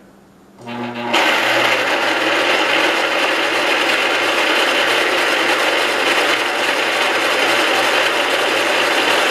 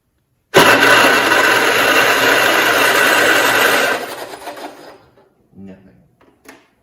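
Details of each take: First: 1969 John Deere 112 Patio tractor cranked over on what is believed to be its original spark plug: the starter spins the engine at a steady, even rate of about four turns a second without firing. Normal cranking, and the starter is judged good. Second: 1969 John Deere 112 Patio tractor, no spark found and ignition wiring being chased: a steady fast starter churn for about three seconds with no firing pulses, then it winds down. It cranks but will not start; the cause is not confirmed, possibly a wire or the plug.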